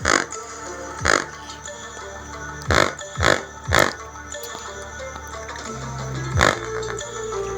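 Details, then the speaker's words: Home theater subwoofer on an amplifier playing music: thin, buzzy bass with raspy scraping on each hit, coil touching and no proper bass. A poorly soldered wire is found causing the distortion. Subwoofer voice coil rubbing. "क्योंकि जैसे ही sound produce होता है तो इसका बशर properly base नहीं देता बल्कि कोयल की टच होने की साउंड आती है प्रॉपर बेस नहीं आती"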